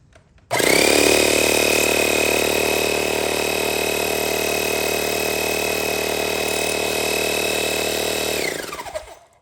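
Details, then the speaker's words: Black & Decker Air Station 60 PSI compressor, bought around 1989–1990, switched on without inflating anything: loud even buzzing clatter with steady high whine, gets hot; normal running. "So that's it. It might be as loud or just slightly less loud than the larger air compressor, which again I did a video on."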